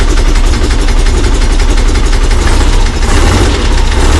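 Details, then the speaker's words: Late VW bay window (Devon) air-cooled engine after fitting a replacement fuel pump: deep, even idle with steady throbbing beat and one brief throttle press, a little cold but running cleanly. "Lovely. Can you hear it? Just one little press of the throttle. Obviously a little bit cold."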